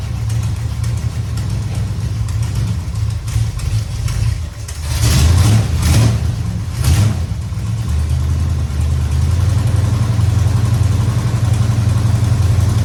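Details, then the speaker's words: 1969 Dodge Charger V8 started after power steering work, belt tightened, fluid topped and bled with wheels up, cold garage: deep idle with throttle blips, no pump whine or groan; normal power steering operation. "Check it out. Everything seems to be working pretty good."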